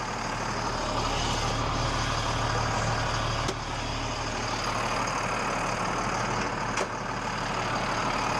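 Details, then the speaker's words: Military truck (8.3 Cummins diesel, FLU419 Unimog/Stewart & Stevenson fleet) left sitting for years, started after priming lift pump on a temporary battery setup: deep even rumble with brief ticks, running normally after storage, brakes being freed. "Make sure it doesn't take off on us. There it went. That sounded promising."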